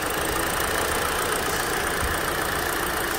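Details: Hyundai Elantra SE petrol engine idling evenly with a steady hum, no stumbles, after an ignition coil wire or injector wire is reconnected; contrasts with shaking misfire from a bad coil, spark plug or injector.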